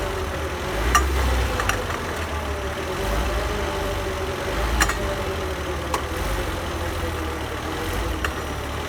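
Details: 2005 Volvo XC90 while driving: sharp metallic pings/clicks over steady driving hum, first suspected front CV joint or suspension, diagnosed as worn driveshaft (prop shaft) joint; driveshaft clicking.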